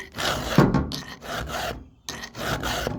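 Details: Filing a sharpened cutter on the chain of a 20-some-year-old 880 chainsaw: even rasping file strokes with short pauses, gliding smoothly without catching, so the cutter is already sharp.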